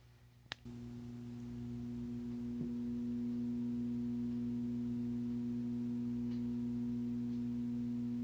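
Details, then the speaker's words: Vintage computer speakers make a steady, single-pitch 60 Hz hum with overtones while idle and switched on but unused, still doing power conversion; the left side had been having problems. "yeah, um they're making a 60 Hz hum. They're they're still like doing power conversion while it's not even in use."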